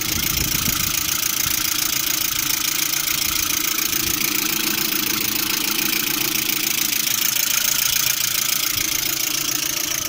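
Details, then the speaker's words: Lada Priora engine, knocking cold and hot, overheating nearly to red while driving; regular even metallic tapping about four per second at idle, seemingly from timing-belt side; owner doubts lifters, suspects water pump, unconfirmed. "Звук со стороны вот ремня ГРМ, по-моему, выходит. Ну, на гидрике похоже, не похоже так."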